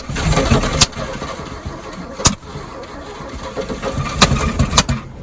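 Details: 1957 Chevy parked and last run in 1974, engine freed after oil in cylinders, points cleaned, wires replaced, fuel poured in carburetor for first start: catches in ragged bursts with loud pops and uneven firing, struggling to hold speed; low compression, only one or two cylinders came up.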